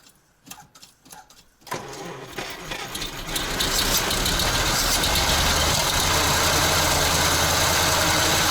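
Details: ZIL crane truck, petrol engine, starting after 20 years sitting, with the fuel sediment bowl fully cleaned and the carburetor working: a few cranking turns catch into a loud, steady, even idle with no misses or knocks.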